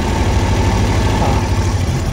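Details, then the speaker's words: Suzuki Every DA64V idling after spark plugs and ignition coil were swapped: low, uneven, stumbling idle with strong vibration, still misfiring with one cylinder dead. A compression test is next. "So ngayon hindi pa natin alam kung may misfiring pa rin Ayan oh o may mis wiring pa rin e wala talaga sec cylinder talaga"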